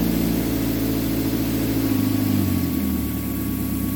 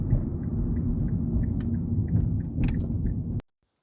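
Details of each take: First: 2006 Mazda 3 2.0-litre on a road test after engine and transmission mount replacement for rattling/popping while driving and in gear: smooth pulls through the gears, even engine note, no clunks on shifts; normal driving. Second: 2006 Mazda 3 2.0L before repair, heard from outside while tapping the accelerator in reverse and drive. A low drone carries light irregular rattles and pops, with loose heat shields already ruled out; suspected worn engine mounts.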